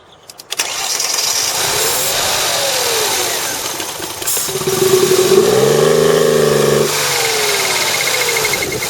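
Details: 2003 Mercedes CLK running rough, after start: brief crank, catches, revs rise and fall with a strained, choked edge; collapsed catalytic converter on one bank restricting the exhaust.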